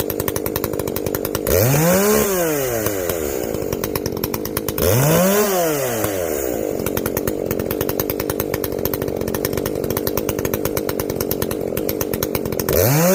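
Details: Echo CS-590 chainsaw after carb limiter removal and opened-up exhaust, high jet turned up a full turn plus low jet richened: crisp two-stroke scream sweeping up and down cleanly with each throttle blip, no bogging or stumble; carb tuned right, not running hot.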